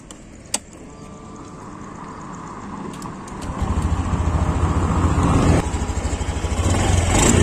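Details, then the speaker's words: Honda Beat Deluxe scooter idling with the cylinder-head breather hose properly connected: quiet start, then an even, soft pulsing idle with no rattles or roughness, the normal engine sound for comparison. "Anda bisa dengar sendiri ya, untuk suara mesinnya seperti ini kalau untuk mesin yang normal."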